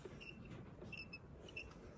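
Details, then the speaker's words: Fuel level sender removed from a petrol Land Cruiser LC120/LC150 with the 1GR-FE V6, moved by hand during a fuel gauge repair. Thin, dry squeaky chirps, about four in two seconds, come from the float arm; the unit is worn and cooked. "hear the squeaky even it's so dry just absolutely cooked as well compared to a diesel one"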